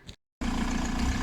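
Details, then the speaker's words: VW TDI diesel in a T3 van after inlet manifold cleaning: clatters into a heavy, lumpy, slightly uneven idle with deep pulsing beat, from the injection pump turned up far for more fuel. "okay so we're up and running now anyway as you can hear you can hear that lumpy idol that's basically because of how far we pushed the injector pump"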